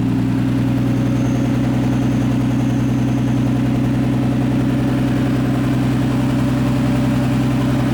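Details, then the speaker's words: Nissan A31 Cefiro with an RB20DET fitted with an R34 RB25 Neo turbo, at first start while the coolant bleeds. It has a loud, raw idle through the downpipe only, with no exhaust fitted. Steady even drone with no knocks or misses; normal idle. "seems to be sounding okay we're gonna let it bleed for a little bit get all the bubbles out but as you guys can tell it doesn't sound so bad right now"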